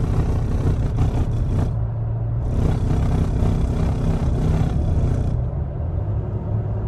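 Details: 3rd-gen Toyota Tacoma under light throttle: a low steady rumbling drone like rumble strips that goes away when given gas; torque converter shudder.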